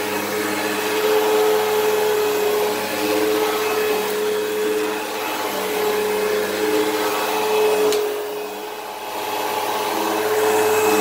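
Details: Eureka Whirlwind True HEPA 4383 vacuum on high setting: steady roar with a thin, constant whistling tone on top; the brush roll bearings sound worn and it probably needs a new brush roll, while the motor sounds fine.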